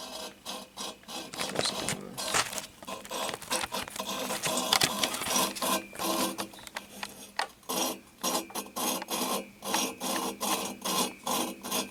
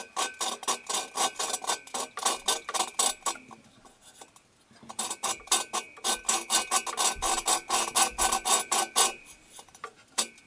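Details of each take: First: we're going to be in this guy right here so you hear how it's grinding in there Second: 1974 VW Super Beetle cylinder head, valve lapped by hand with grinding compound: even back-and-forth rasping strokes, about two a second, now smooth with no gritty crunch left; the valve has seated.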